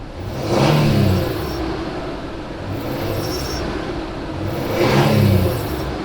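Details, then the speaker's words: Truck shortly after a radiator and serpentine belt replacement: hard throttle blips bring a rising metallic whir from the belt drive, traced to a failing tensioner pulley. "now i'm gonna push the gas real hard and maybe you're gonna hear that noise in there do you hear that some kind of metallic noise"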